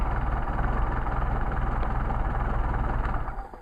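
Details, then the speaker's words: Mercedes 190SL on freshly rebuilt matched Solex carburetors #62468/62474 with new throttle shafts, bushings, plates and gaskets: a smooth even low idle at about three beats a second with no misses; well balanced and healthy. "goes back to idle these are nice and tight and great carburetors great pickup I think you'll be very pleased with these carburetors"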